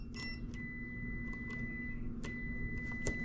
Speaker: You can hear it on the meter ringing out. Meter's ringing out.